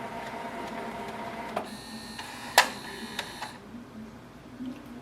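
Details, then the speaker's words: Canon Maxify GX3020 printer printing blank pages from clogged nozzles, running its ink flush cycle (about 9 minutes): soft mechanical whirring with a few clicks and a brief high ticking run, normal flush operation. "Once the printer starts its cycle to flush the ink, you will hear a sound from the printer. Wait for the sound to stop."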